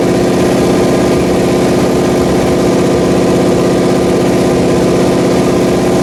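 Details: Pontiac 400 V8 on a homemade engine run stand during its second cam break-in, on the fast idle cam; loud, steady fast idle with an even throbbing beat and no knocking or ticking, running healthy.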